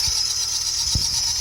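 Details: Nissan Micra at quiet idle before repair: steady, piercing high squeal from the engine bay without letting up, from the A/C compressor clutch bearing rather than the belt. A/C compressor clutch bearing squeal.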